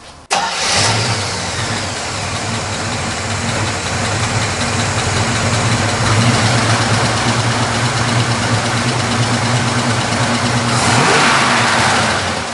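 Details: 1979 Chevrolet Camaro, 400 cid small block V8, cast exhaust manifolds, dual exhaust, 3-speed manual: cranks and catches quickly, then a steady lopey idle with a brief rev, even firing, no knocks or ticks; normal start and idle.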